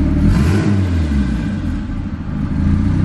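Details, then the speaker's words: Built turbo B16 Honda EF Civic hatch idling, idle set lower with throttle stop, not yet warm: uneven note sags near the end, nearly stumbles, then recovers to a steadier idle; owner thinks it runs slightly lean. Idle rpm dip. "See, it dipped. RPM dipped a little low and then came back. So, but now it's idling good."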